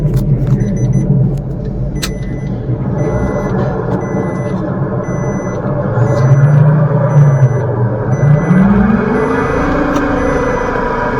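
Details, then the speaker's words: Maruti Suzuki Wagon R new model: a low droning hum that rises in pitch as the car speeds up, from a worn front wheel bearing. "[संगीत] [संगीत] front wheel bearing नॉज है friends"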